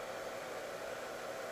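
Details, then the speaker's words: Cellpro PowerLab 8 during discharge of an EV lithium cell down to 2.5 V: the cooling fan comes on after discharge starts, a steady smooth airy whoosh with no rattle, pulsing or whine. "after it starts discharging the fan comes on and you can hear the fan come on"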